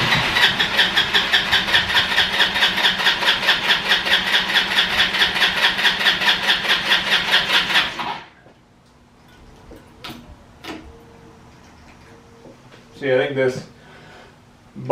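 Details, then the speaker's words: Free roadside ATV, cranked on original tank and fuel shutoff; start button overheats if cranked too long, fuel not pulled from tank so quick start used: even cranking chugs about two per second for eight seconds, then quits without properly catching. Cause suspected, not confirmed. "Doesn't quite have enough to pull the fuel out of this tank. So we're gonna use a little bit of quick start here."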